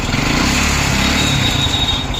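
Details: 2002 Hero Honda Splendor single-cylinder at steady fast idle: busy, rattly top end with a thin whistle over it; abnormal engine noise, cause unclear.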